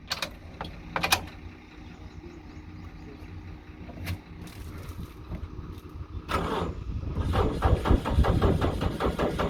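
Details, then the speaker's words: Racing car cold-started on key in neutral after sitting unstarted since 2017; cranks, catches, then idles unevenly with a wandering lumpy beat that won't settle — rough idle, apparently from long storage. "ആ ഒരു call start ചെയ്ത്, അതായത് ഇത്രയും കാലം വണ്ടി ആ സ്റ്റാർട്ടാവാതെ നിന്നതിൻ്റെ ഒരു fairing പോലെയൊക്കെയാണ് കാണിക്കുന്നത് വണ്ടി."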